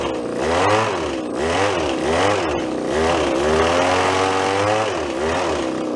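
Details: Japanese-made garage-sale two-stroke hedge trimmer, blade lubed: buzzes and revs up and down crisply with no hesitation or stumble; running healthy.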